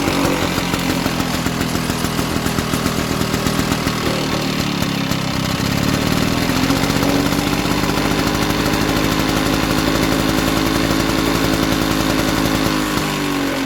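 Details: Victa Sunbeam mower from about the mid-1970s, small single-cylinder engine running on a carburetor borrowed from another mower in place of its KBY carb: fast, steady buzz that sags slightly, then runs evenly. Slow to start; owner expects a carb clean will fix that.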